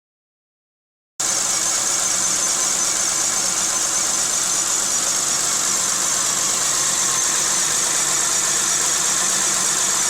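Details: 1995 Geo Metro with rebuilt engine and head, rough since purchase: small petrol engine idles with uneven stumbling beat and heavy shaking; no compression in cylinder 2 from stuck lifters, runs smoother after fix.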